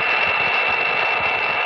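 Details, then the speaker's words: HF ham radio receiver in Southern California fog: a constant hissing roar across the band with no rhythm, masking signals; power line noise from leaking wet insulators. "of a roar and that's what happens when the insulators get wet"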